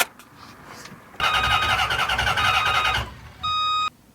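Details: Starter cranks evenly, about three and a half turns a second, without catching after newly installed computer and fuel pump wiring; fuel pump not running, relay suspect, later found no power and a missing fuse; no fuel, no start.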